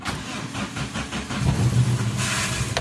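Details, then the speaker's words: Daihatsu Taruna EFI idling in neutral before tune-up, with complaint of hesitation and low power and no stored DTCs. It catches and settles into a lumpy, uneven, misfiring idle. "Oke, cek engine aman yo, 0 DTC tapi pincang. Kenapa? Yombo 0 DTC tapi pincang yo."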